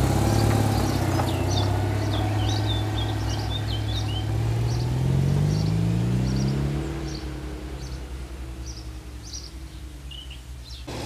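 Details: Citroën 2CV flat twin with newly fitted engine, on the driveway without bodywork, even idle beat then clean smooth rev rise, birds nearby; carburettor jetting thought entirely wrong, still on old jets. Normal idle and revving.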